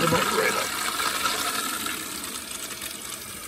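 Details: Toilet that buzzed in the pipes when flushed, after fill valve replacement: smooth steady rush of water refilling tank with no buzz or hum; fill valve working normally.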